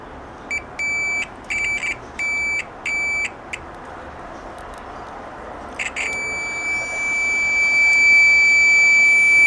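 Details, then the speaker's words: Old Chinese multimeter long since modified for a louder continuity buzzer; short sharp high beeps as the probes touch and lift, then a steady loud tone on contact; the buzzer works normally. "este ya está modificado desde ya mucho tiempo y vamos a escuchar allí el el sonido"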